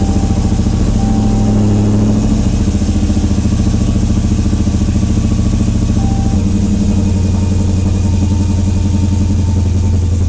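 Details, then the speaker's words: 1968 Dodge Charger with supercharged Hellcat V8 swap, push-button keyless start after wiring/module fixes; fires right up into a deep, even idle on all cylinders with no misses or knocks: normal idle. "So we got the key fob in here. Go ahead, I'll hit the start button. Just fires right up."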